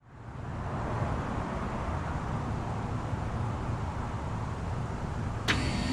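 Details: 1984 5-ton BDP/Bryant Model 541D three-phase heat pump startup in heat mode, compressor possibly Copeland (unconfirmed): sound rises quickly into a steady, even low compressor and fan rumble, no knocks or rattles; healthy and quiet for its age.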